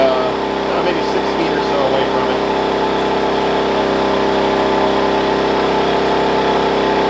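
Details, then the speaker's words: Wen 56203i 2000 W inverter generator (made 7/2020), break-in period, eco mode on while running a 1+ ton portable AC, ~64 dB; steady, even drone with no surging, a little quieter, running normally. "i was actually able to turn eco mode on while the ac is running i think it's pretty cool is a little bit quieter now"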